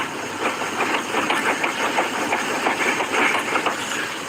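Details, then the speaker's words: Engine idling with a loose irregular rattling clatter about three times a second from the front end; suspected tie rod, not confirmed. "whatever the issue is is actually the let me figure out what it is that sounds like a tie rod"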